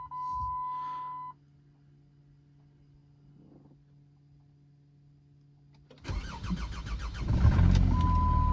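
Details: Jeep Grand Cherokee 2.7 diesel after replacing a blown fuse and a mismatched relay for a SKIM fault and no-start: chime, brief crank, catches at once and settles into an even idle; fuse later blew again when turning the steering wheel.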